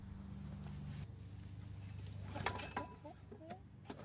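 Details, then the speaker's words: Craftsman mower that sat for years, on fresh gas: catches on the pull, runs rough about a second, then stumbles and dies; starts then dies, owner suspects it ran on choke-circuit gas and the carburetor is leaking. "I was surprised that it even started but it did die immediately so it's probably running on gas from the choke circuit"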